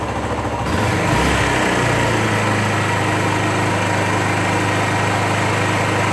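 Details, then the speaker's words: 2001 Suzuki GZ250 single-cylinder, cold start on choke, warming at idle: steady thump with a sharp puffing tick on each firing, an exhaust leak persisting despite a new gasket. "oh and you'll you'll hear an exhaust leak that I'm hoping to take care of today as well and I changed the gasket but that didn't seem to stop it so I need to investigate that"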